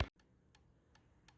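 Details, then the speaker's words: Federal Signal Streethawk SLH Series B lightbar under function test: crisp single clicks roughly every third of a second against a quiet room as the FA3 (blue wire) rear flasher circuit cycles; FA3 working normally. "So as you can hear that clicking, that's the FA3. That's the blue line. And that means my FA3 is good."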